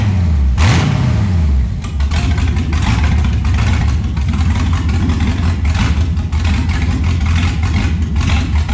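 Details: LS1 V8 truck running, following fire damage and over-fueling issues with a new regulator fitted: deep, even burble with a clean blip that rises and settles smoothly; normal idle and revving, all eight cylinders firing.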